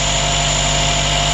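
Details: Car with a new battery that still wouldn't start, fired up after a volt drop test traced voltage loss to a corroded positive terminal, post bridged to cable with pliers: steady, even idle with a smooth low hum, no knocks or misses.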